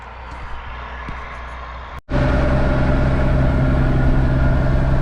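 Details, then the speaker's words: Ford F150 donor truck driven home, front brakes dragging; after a brief cut the engine drones very loud and raw with a deep steady tone; loud exhaust from downpipe only, no air filter. "This thing is terribly loud. It's only got a downpipe on it, no air filter."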